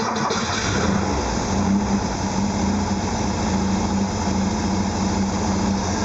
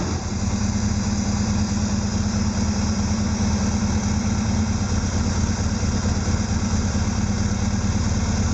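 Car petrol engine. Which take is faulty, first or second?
second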